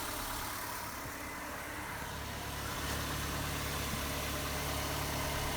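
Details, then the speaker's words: Old, tired engine at steady idle after the fix: even low hum with no exhaust rattle; the rusted-out catalytic converter heat shield, whose bolt holes had broken off, was clamped tight with hose clamps. "the rattle is now gone you can still hear all the noise that this engine makes because it's old and tired but but definitely the embarrassing rattle has gone away"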